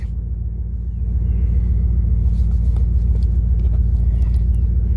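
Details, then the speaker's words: 1998 Dodge Durango single-cam V8, warm idle after running 5–10 minutes to operating temperature, following timing chain replacement for a P0300 misfire. The idle is a deep, steady, even rumble with no knocks or stumbles, and sounds healthy. "okay you've been running about five ten minutes she's up to operating temperature"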